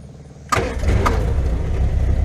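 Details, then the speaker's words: MG Midget, 1275cc four-cylinder with carbs, after key-on so the fuel pump primes the carbs: a quiet hum, then the engine catches immediately on the first try and settles to a steady, even idle; normal start. "And then should just start right up. Starts first try usually."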